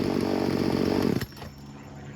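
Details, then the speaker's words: Craftsman 16-inch 38cc chainsaw running after troubleshooting; smooth even buzz with no misses or surging, responsive revving to full throttle, then shut off. Healthy engine, air-fuel mixture adjustment turned out unnecessary. "There's nothing wrong with this. Sounds really good, and it's very responsive too."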